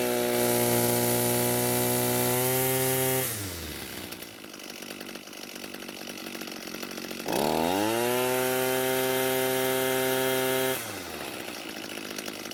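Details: Echo SRM 230 two-stroke trimmer after repair (correct ignition coil and new carburetor fitted): revs up crisply, drops smoothly to a steady idle, then picks up cleanly again with no stumble; running healthy.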